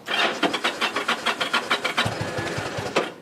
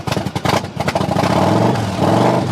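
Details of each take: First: 2007 Yamaha V Star 1100, cold start with the fuel on reserve: slow, uneven cranking for about two seconds, then it catches with a few ragged low firings, a reluctant cold-blooded start, then runs. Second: 2007 Yamaha V Star 1100 V-twin, cold start after purchase with fuel tap set to reserve (owner thinks fuel may be low): catches, revs up and settles into a steady, even lumpy beat with no knocks or rattles; healthy normal idle and revving.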